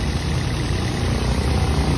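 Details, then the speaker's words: Toyota Vios that was misfiring and shaking at idle, after throttle body cleaning (spark plugs and ignition coil fine, MAP sensor cleaned): low, even idle hum with no shake, stumble or miss; engine now idles smoothly. "kitang-kita niyo naman tahimik na wala ng palag wala ng inig"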